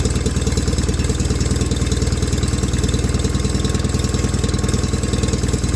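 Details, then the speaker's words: 1989 John Deere 420 garden tractor after fitting a new electric fuel pump; steady even thumping at about two hundred beats a minute with no misses, idling normally. "so really well we now have a running driving john deere 420"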